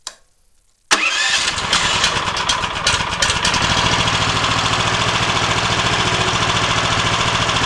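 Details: Harbor Freight Predator Hemi 13 HP 420cc OHV horizontal-shaft gas engine on a stump grinder, about 20 hours, choke off, garden-tractor battery electric start: cranks briefly, catches at once, settles into steady even chug, no misses or knocks; healthy.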